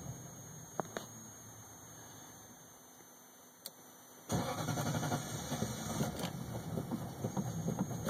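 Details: 1998 Lexus LS400 that died on the highway, bogging down; battery terminals, fuses and relay checked fine: quiet, then starter cranks steadily for several seconds, engine never catches or speeds up; cause not yet found.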